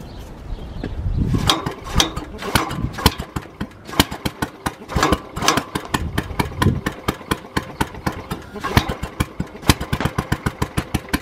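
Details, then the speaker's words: Early Kohler K181 eight-horsepower engine on the bench, first run after rebuild with new ignition wire and points, for a Panzer T758ES tractor: sharp loud pops, ragged then steady; fires hard, attributed to no decompression lobe on the cam. "when I first got this to run you might have been able to hear it it was firing a little bit hard and these early Kohler k181s and small block colors didn't have a decompression lobe on the cam like the newer ones do"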